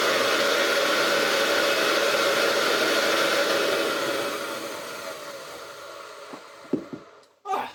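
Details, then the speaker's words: Hoover Junior 375 upright, 1950s–60s, stored for decades, run without its belt (the belt wouldn't turn): a steady high motor whine that then winds down and stops. The motor runs well, but the old dust bag is blocking the airflow. "suddenly runs a lot better. This thing is blocking 110% of the airflow of bling."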